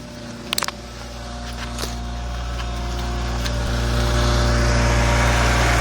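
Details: BMW E46 M3 petrol engine idling with a steady low hum and a light rattle ticking about four times a second; present from start-up and at idle, cold or warm makes no difference; cause unknown.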